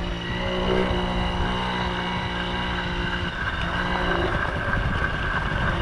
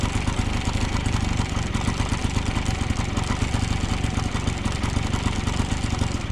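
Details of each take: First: 1980 Yamaha QT50 two-stroke moped on its test ride after eight years off and many new parts: crisp, even buzz holding steady with some wind noise, quiet, no misses. Normal running. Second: 1980 Yamaha QT50 two-stroke moped, first start in eight years, on premix fuel: holds a fast, even buzz at what should be idle, still revving high with the air mixture screw all the way in and the idle screw backed out. A sticking throttle cable holds the revs up; the cable was replaced.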